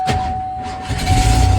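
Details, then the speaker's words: Ford F-150, cold start, nearly out of fuel, in neutral: uneven lumpy chug surging as it tries to hold idle, faint steady whistle above; rough running, and it has stumbled when moving for six months, cause unknown. "There it goes. Yeah, she's a bit chugging. She's about out of gas."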